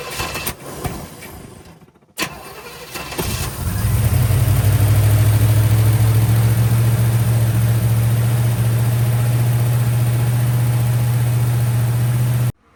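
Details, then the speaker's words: 1965 Chevy Nova wagon with a new Holley 450 carburetor, run out of the box, unadjusted and without a choke: cranks, catches, then holds a fast idle near 3000 rpm; throttle blades won't close, suspected idle screws or a vacuum leak. "But anyways, it's idling at like 3,000 RPMs. So I need to check my screws. There's little screws on the bottom. They'll kind of possibly are holding the blades open a little too far because I was not able to"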